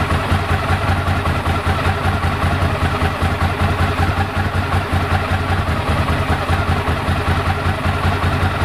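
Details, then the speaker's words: 1998 Ducati ST2, 10,596 miles, after new open clutch and plates, fuel pump, HT leads, Brisk plugs; original exhaust ~72-74 dB at tick over: steady even lumpy twin idle, light dry rattle when clutch pulled in; normal dry-clutch chatter, healthy. "Ticks over beautifully now. You can hear the clutch when I pull in the clutch."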